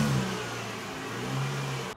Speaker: after about a minute of listening to his catalytic conversion rattle i brought him and showed him what a good exhaust system should sound like